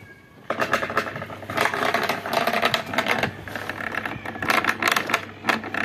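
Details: Zvezda washing machine, replacement motor fitted to the seized, rusted spin side, bench run: steady motor whir with busy mechanical rattle, running freely without labouring or stalling; normal motor run.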